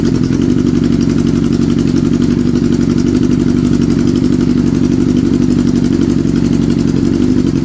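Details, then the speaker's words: Kawasaki Z650B four-cylinder idling on Plan B uncleaned alternate carbs, stereo mic near bike: steady even pulse, no misfire or stumble; all four cylinders now firing, number one pipe getting hot for the first time. "I think he's running on all four cylinders let me check yeah wow I think it's running okay now"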